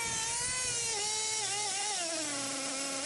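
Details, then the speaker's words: LST2 whose transmission slips in and out of gear while the throttle sticks. The engine note sits high, then sags as revs drop on their own. The RPM shoots up whenever it slips out of gear, before it pops back in. "it just goes to a High Rev the RPM shoot up cuz it slips out for a second right about here and then uh now it's going to slip out completely"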